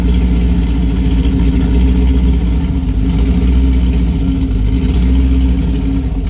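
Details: Engine with Pat G-spec Cam Motion cam (EPS lobes, 222/226, .629/.629, 112+3), Manzo stainless headers, Solo cat-back with mid muffler and J-pipes; heavy lumpy exhaust beat stumbles unevenly through revs and idle, a really bad misfire of unknown cause.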